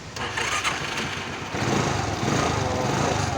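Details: Access scooter with a no-start fault (no spark at plug) after the CDI was tapped and cleaned: engine fires within a second and settles into a steady, even idle with no misses or knocks; normal start and idle.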